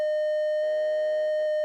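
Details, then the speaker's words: DIY VCO synth module output during saw-to-triangle converter troubleshooting; steady pure tone with a buzzy layer cutting in partway once the oscilloscope ground is connected, suspected ground-loop hum between oscilloscope and power supply, unconfirmed. "Like I think there's like some kind of ground loop issue between the oscilloscope and the power supply, because as soon as I connect the oscilloscope to my ground here, you can hear that there's this noise, right?"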